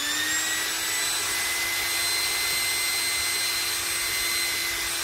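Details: Philips hand mixer, freshly greased gearbox, full speed: steady high-pitched motor whine holding even speed, brief initial irregularity that stopped, no catching or rattle; runs smoothly.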